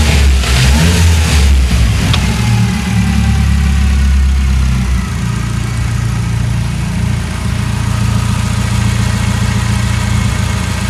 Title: SR20DET without exhaust leaks